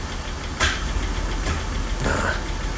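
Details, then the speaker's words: Rolls-Royce Corniche V8 after an ignition lead replacement: a lumpy, uneven idle with stumbling beats, a misfire caused by two leads swapped on one bank. "let's give it a go well that doesn't sound"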